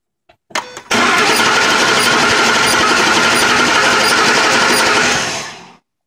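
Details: 2005 Ford Expedition with codes P0345, P0349 (bank 2 cam sensor circuit, intermittent) and P0352 (coil B); #2 coil and cam position sensors replaced; starter cranks steadily about five seconds, never fires; crank no-start, cause unconfirmed.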